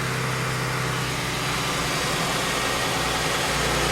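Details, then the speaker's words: 1999 Ford Taurus idling right after in-tank fuel pump replacement: smooth, even idle with a steady low hum and no knocks, misses or hunting; running healthy, no leaks, repair successful. "So I'm going to start the car and let it run and come back and recheck for any leaks. Moment of truth, people. Seems to be running."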